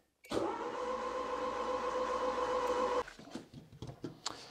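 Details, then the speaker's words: Barn-find 4WD Citroen BX (PSA), being reassembled; starter spins steadily under three seconds, never fires; no rev counter impulse, owner suspects missing crankshaft sensor signal (needed to trigger fuel pump), but unconfirmed, could be other things. "so don't think there is no any signal from the cranks sensor but it could be our other stuff as well"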